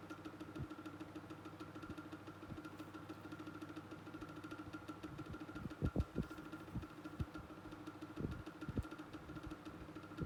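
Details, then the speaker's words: Micromark fan on medium speed after its motor was serviced: a steady hum with a faint whine above it and scattered clicks. The motor noise remains despite the repair, though the fan still works. "Well, I mean, I tried to fix it, but it's obviously, in truth, it was obviously still there. Yeah, I could still use it and everything. It's just going to make that noise."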